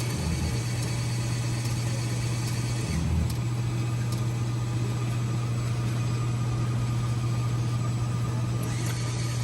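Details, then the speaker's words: Coffee machine troubleshooting no milk from the spout, rinsing the milk line with clear water by ordering warm milk 5 times until the container is empty: steady low pump hum with a light airy hiss, no sputtering or strain; normal warm milk dispensing. "So we rinse the line right here. We order warm milk 5 times until the container is empty."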